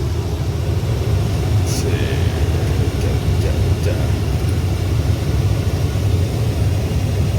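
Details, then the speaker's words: 1996 Chevy Silverado C1500 2WD after replacing the air inlet blend door actuator behind the dash: steady, even rush of air from the blower on high with no clicking. Normal blower operation after repair. "and yeah there's no clicking you can see and definitely was that a actuator"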